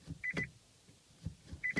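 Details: Nissan Leaf after its traction battery was intentionally run flat following miles in turtle mode: two short high beep pairs as drive is selected, repeated on a second try; the car refuses drive, only neutral or park.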